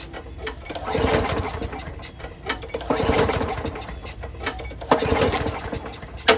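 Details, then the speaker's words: Lawnmower after winter storage, little gas, no air filter: repeated pull-start bursts with no firing. It turns over with starting fluid but not when primed, though the primer works, so the carburetor is dirty or the jet clogged. "If it turns over, it means that the carburetor's dirty, because we couldn't start it without jism. All right, so it turns over with jism. It doesn't when you prime, even though I"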